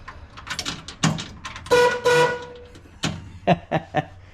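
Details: 1935 Oldsmobile hot rod, sat for many years and has just been fully rewired: two firm, steady horn blasts with a few clunks around them; the horn sounds strong and clear and is working properly.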